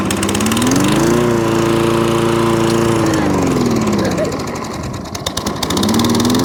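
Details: Toro Recycler lawnmower started on choke with the dead-man bail held: engine note swings up, holds, sags almost to stalling, then recovers; hunting, surging and cutting out, traced to a partly blocked carburettor main jet.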